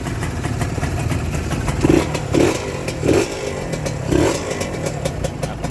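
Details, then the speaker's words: Honda NSR two-stroke motorcycle, square-headlight model, reportedly freshly rebuilt then parked several months, idle slightly raised: crisp, steady, even idle with light clicks and brief blips; very quiet, sounds healthy. "เดี๋ยวผมตั้งเร่งมันนิดนึงเครื่องยนต์เงียบกิ๊บครับน่าจะฟิตมาใหม่แหละ"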